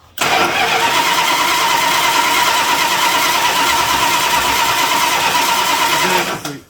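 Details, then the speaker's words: A 1975 Plymouth Roadrunner that sat for about 20 years and had been running on all 8 cylinders: a steady starter whir for six seconds, but the engine never fires. Running out of gas was wondered about, though fuel is squirting. "Sounds like we got nothing. You don't think we ran out of gas, do you?"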